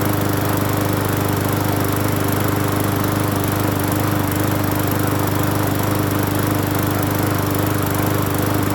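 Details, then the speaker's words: Free Hyper Tough 20-inch push mower on first start after cleaning the carburetor and gas tank, with a little fresh gas and off-brand Seafoam treatment added. Steady, even drone with no surging or shaking. Normal running. "not shaking either. Not as bad. Wow. Not bad, not bad. Not bad at all, not bad at all."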